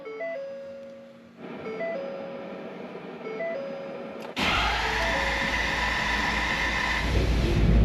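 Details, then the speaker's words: 2016 Ford F250 after repairing squirrel-chewed crank position sensor wiring, fuel filter change and battery reset: starter churns several seconds before the engine catches and runs steady; owner suspects bad sensor or miswiring. "So, it still has that extended start and I'm not sure why."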